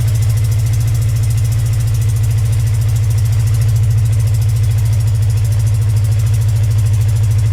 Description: Cold start after sitting for 4 months. Bike has an exhaust leak. That is what the ticking sound is.